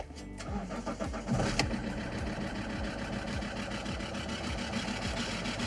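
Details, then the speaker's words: 2.4L diesel car, started with a 2000 A jump-starter booster after glow plugs preheat: cranks, catches, settles to idle with a quick, sharp puffing tick in step with the engine from a leaking exhaust manifold. "Tu entends peut-être un bruit, mais le bruit, c'est normal. C'est mon collecteur d'échappement qui fuit."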